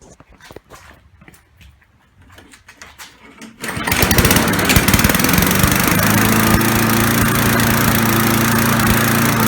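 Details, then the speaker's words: Briggs & Stratton 3.5 hp four-stroke push mower: engine catches after some clicks and surges, its pitch rising and falling from running too rich, with black exhaust smoke; caused by a failed carburetor fuel diaphragm. "as you can hear it's running up its running down or what you essentially what we'll call the the description it's it's a it's essentially surging and what it is it's surging because it's getting too much gas and that is the reason why there's black smoke coming out of the exhaust"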